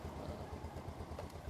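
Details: Yamaha Vega ZR small single with a new YB5 wet battery, charging reading rising from about 12.9 to 13 V after starting: ticks over at an even, steady idle with a smooth low thump, no misses or rattles.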